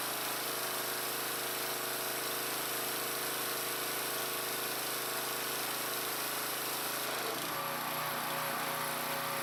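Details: Briggs & Stratton-powered Troy-Bilt pressure washer from about 2003, after a water pump replacement, spraying: steady small-engine drone under loud hissing spray, even throughout with no stumbling or surging; runs normally.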